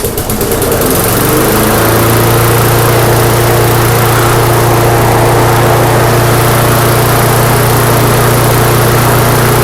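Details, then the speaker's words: Neglected, rusty MTD mower on the bench, run at a comfortable RPM for several minutes to burn off smoke: steady, even drone with no hunting or surging. Smoke lessens with each start, so owner doubts a head gasket leak; normal running. "All right, so I don't believe this to have a head gasket leak. Every time I start it up and it burns off a little bit more, it smokes less."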